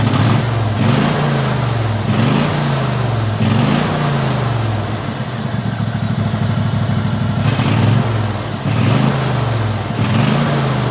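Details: Craftsman hydrostatic lawn tractor V-twin after carburetor cleaning and replacing the fuel solenoid on the carburetor bottom; now runs on its own, rising and dipping with throttle, slightly uneven off idle; normal running.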